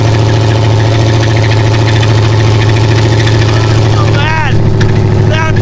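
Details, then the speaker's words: LS V8 El Camino after racing at King of Hammers: rough knocking over a heavy idle at about three per second, getting worse. "You could hear it knocking worse and worse."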